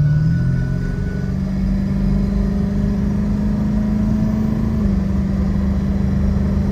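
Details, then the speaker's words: Ford Excursion 7.3 turbo diesel recorded in the cab while pulling hard after ten minutes driving: deep steady drone with no squeal, since new up pipes fixed the exhaust leak; EBPV deleted, Wicked Wheel fitted. "All right, so I've been driving it for about 10 minutes now. She definitely pulls better, and there's no more squealing from the up pipes anymore."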